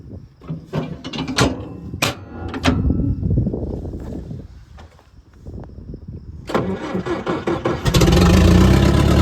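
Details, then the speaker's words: Old International crawler/loader diesel, fluids checked beforehand, transmission fluid slightly low: clunks and cranking, then it catches quickly and settles into a firm steady rumble. "All right, fired up beautifully. I did check all the fluids and everything before I fired it up there. Everything looked good."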